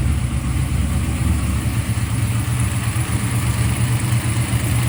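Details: Freshly built 1995 LT1-based ERE-383 stroker V8 (Eagle forged crank, 5.85" rods, Holley Terminator X) on an engine run stand. Even, deep idle with a steady low rumble and no knocks, misses or ticks; normal idle. A water pump gasket leak was found afterward.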